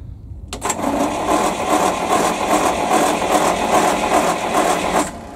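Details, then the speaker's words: PAZ-672 bus engine after valve adjustment, with valve covers fitted: even idle pulsing about two and a half beats a second, previous knock gone, no sharp metallic knock; clean normal idle. "Не знаю, слышно или нет разницу, но стук пропал."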